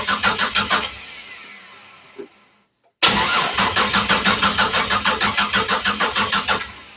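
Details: Budget project car mid-rewiring with temporary battery and switch wiring, PCV valve and BAP sensor not yet fitted: steady starter cranking without firing; spark confirmed at an unplugged coil pack, so crank signal present, but no fuel supply.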